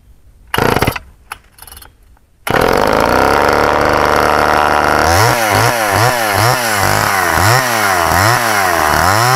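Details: Canadian-built Homelite Super Mini chainsaw, thought to be from the late 1970s or early 1980s, with a new-old-stock oil pump and an unsharpened, possibly dull skip-tooth chain. A few pull-cord tugs, then it fires and holds a steady buzz with crisp, even throttle blips. Runs healthy.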